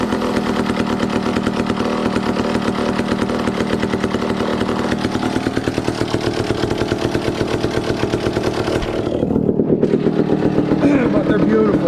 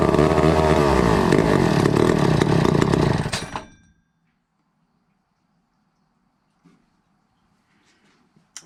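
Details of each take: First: 1962 McCulloch 1-46 chainsaw, revived after it had no carburetor, fitted with a scavenged old carburetor and intake part: rapid, crisp two-stroke popping holds steady and settles to an even idle with no misfire, so normal running. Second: 1962 McCulloch 1-46 chainsaw, missing its original carburetor, fitted with a carb that may not work: roars at a high buzzing rev about three seconds, then sputters out; owner suspects a cracked fuel line sucking air, and notes a part broken off.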